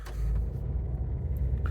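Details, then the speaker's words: 1.5 dCi diesel car with EGR delete, averaging 51 mpg, always starts on the button: driving with a steady low drone; clutch still good and gear changes show no grinding, judder or clunk; sounds like any other 1.5 dCi, normal. "Changes gear, sounds like every other 1.5 DCI I've had."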